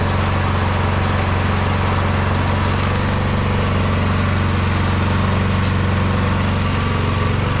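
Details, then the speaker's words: MTD Yard Machine 22-inch snowblower, 179cc about 5 hp engine, after drilling out carburetor jet: even, steady low drone with no hunting or surging; runs fine, surging fixed. "It seems to run pretty good now that we've done that that mod to the jet and drilled that jet out to smooth out the surging."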